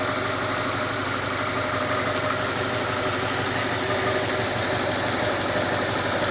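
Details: Carisma GDI idling loudly with a fast, fairly even clatter of roughly three knocks a second over a harsh hiss: engine knocking. The suggested fix is changing the oil to 10W-40 and adding Ceramizer.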